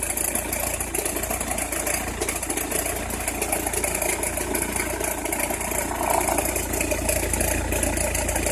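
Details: Opel Meriva engine, cold idle: fast, uneven crackle riding over the engine, about four per second, present only when cold or at very low rpm; cause unclear, suspected but not confirmed.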